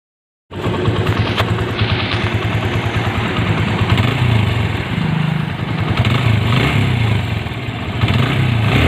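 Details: TVS Apache single-cylinder motorcycle before engine rebuild: steady idle with a loose, uneven low chatter of about three beats a second over the exhaust; abnormal engine noise, cured by reworking the engine.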